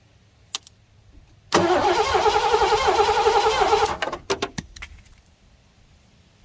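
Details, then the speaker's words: 1987 Mercury Grand Marquis LS that had sat since at least 2017, cranked after fresh Rotella T4 15W40 oil: steady, even cranking about four turns a second with no binding. The engine is not seized. "Well, she's not stuck."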